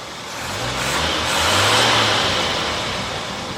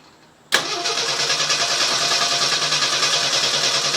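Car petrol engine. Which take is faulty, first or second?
second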